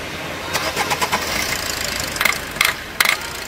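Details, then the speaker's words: Maruti Suzuki Swift with low mileage and poor pickup: sharp, uneven tk-tk knocks through a quiet engine just after start-up. "Engine में खटखटाहट ध्वनि है और यह तत्काल होगा।"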